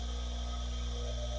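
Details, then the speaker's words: Bench grinder, 110 V, half horsepower motor, during a repair and amp-draw check: steady low mains-pitched hum with no scraping, wobble or rumble; drawing about 38 against a rated 40 and levelling out, so no binding; motor spins freely. "Okay, it's rated at 40, and it's leveling out. So I don't see any binding going on."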